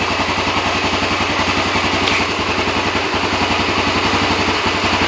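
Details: Honda ATC three-wheeler, over thirty years old, started after sitting untouched for close to two years, in neutral, choke checked; even, steady putter at idle with clean regular beat, no misses or knocks, idling smoothly.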